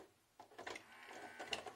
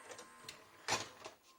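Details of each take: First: 1998 JVC HR-J756MS VHS recorder that had been left out in the rain, loading a cassette: motor whirs and gears click, then faint tones falter and cut out; owner suspects the head drum stops; mechanism struggling, drum stalling. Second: 1998 JVC HR-J756MS VHS deck, water-damaged, after repairing the loading lever: light clicks and one short clack as the cassette seats; loading mechanism runs cleanly.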